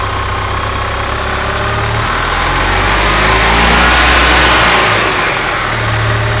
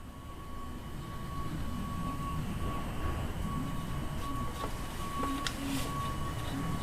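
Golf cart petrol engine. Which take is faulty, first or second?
second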